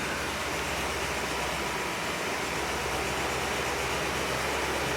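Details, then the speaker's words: Pontiac 389 V8 after sealing an exhaust manifold-to-downpipe leak with JB Weld ExtremeHeat paste, 24-hour cure: steady, even idle with no puffing or ticking at the manifold; exhaust sealed, engine sounds healthy. "I know that Motors don't record well that that that that's nice clock running I didn't even touch it"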